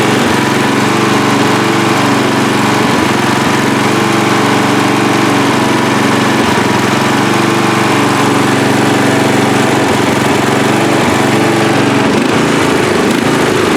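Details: Free riding mower, engine test after gas tank was drained and fuel added; it had been flooding before starting. Steady, even engine note with no misses or surging, holding a consistent speed: normal running.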